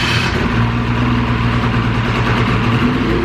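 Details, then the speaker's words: 2000 Ski-Doo Grand Touring 600 two-stroke snowmobile, left outside uncovered at least 3 years, first start on full choke: steady, slightly uneven, lazy low idle drone; idle needs adjusting up. Rough low idle. "A little tired. A little tired, but she's running. I think we're gonna have to adjust the idle a little bit too. A little low."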